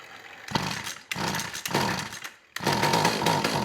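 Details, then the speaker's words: McCulloch Eager Beaver 2.0 CID chainsaw on the bench after carb cleaning, first running: short bursts with a soft burbling uneven note between blips; sounds rich, so low-speed jet is being leaned. "sounds rich so i'm going to dial the low speed jet back a little bit"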